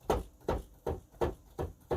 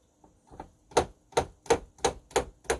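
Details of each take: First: Nektar Panorama T6 MIDI controller played with sound off, on an octave with the DIY softening mod on the white keys: six dull, muted thumps, one every 0.4 s, on release, no sharp clack; key action improved and quiet. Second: Nektar Panorama T6 MIDI controller played with sound off, on an unmodified octave: sharp plastic clacks about three per second as keys are struck and spring back onto hard stops; noisy key release before the softening-strip mod.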